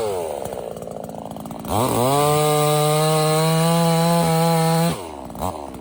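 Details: $97 Temu Chinese gas chainsaw cutting: snaps up to a steady, high, even buzz held through the cut, then drops away cleanly; running well, later stops only from running out of fuel.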